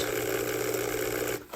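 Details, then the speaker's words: Old model train loco motor after repair restoring power to brush with replacement spring, testing pickup to both wheel sets; steady even hum then spins down, sounds much nicer, normal running. "And hopefully it gets power to both sets of wheels this time. Right. That sounds much nicer already."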